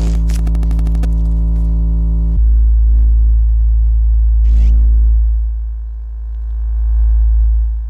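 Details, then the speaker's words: Monitor Audio subwoofer playing pure low test tones: a rattly buzz rides on top, strongest on the first tone; two distortion sources in the sub, fixable with glue, while the bass reflex port is fine. "sometimes at higher base the base reflex Port also produces unpleasant Distortion noise but in this case this sub is fine with that as you heard the subwoofer had two serious source of distortion noise"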